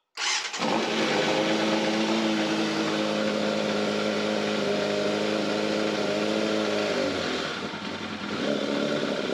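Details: Yamaha FZR600 inline-four, cold, running without airbox, after oil change correcting low oil level, previously suspected timing chain rattle: catches at once, smooth steady idle with no rattle, easing slightly at end; sounds normal.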